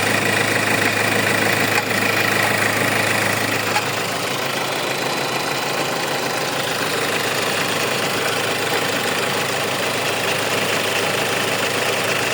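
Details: Hyundai engine at steady idle with a light, fairly even ticking rattle about twice per second; faulty alternator pulley.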